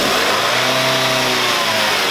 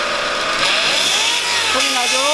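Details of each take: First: Light car (경차) after cleaning the mesh transmission oil filter and refilling fluid, heard from under the lifted car at 2000–3000 rpm: engine revs evenly with a smooth rush, no whine or grinding; transmission now normal. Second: Light car (경차), first start in the morning: high whine climbs with throttle then settles to a steady tone, worse under accelerator, less when hot; sludge-clogged automatic transmission oil filter, not low power-steering fluid.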